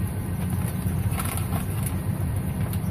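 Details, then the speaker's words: 2007 Ford F150 that cranked but wouldn't start, idling after the broken fuel pump driver module was reconnected, while it is being bagged against water and road salt: steady, even, smooth low idle rumble, no misses or knocks. Normal idle after repair. "There we go. She's running. It didn't cost me $400. It didn't cost me $100. It cost me $0."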